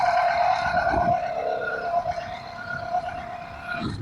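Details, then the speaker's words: 80cc two-stroke motorized bicycle with a brand-new motor, warmed up at about 56°F on a test ride: a buzzy note that wavers and surges unevenly; needle is at the richest setting with the stock jet, owner suspects it needs a bigger jet or has an air leak. "right now I got the needle on the fattest setting possible and the Jet like I said a stock so it definitely needs a bigger jet in my humble opinion an air leak or it's knees"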